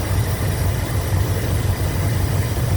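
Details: 1987 Chrysler Fifth Avenue V8 after new lifters and manifold gaskets: smooth, even low rumble at steady idle, lifter tick gone, valvetrain sounds healthy.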